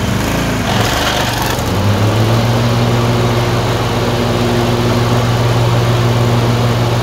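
Twin-cylinder engine thumping unevenly at a fast idle, beat wandering and stumbling now and then; a surge with random misfire. Cause suspected, not confirmed.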